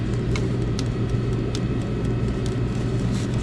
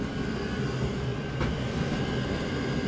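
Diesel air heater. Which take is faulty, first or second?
second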